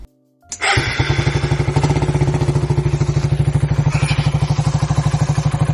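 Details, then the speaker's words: 2008 Suzuki Satria FU 150, 17 years old, unused for 3 years, just back from a full engine overhaul, 43 km on the speedometer since it was fitted: starts and settles into an even, pulsing idle with no knocks. Fairly smooth normal idle. "Ya suaranya kita denger tadi ya, lumayan halus lah ya."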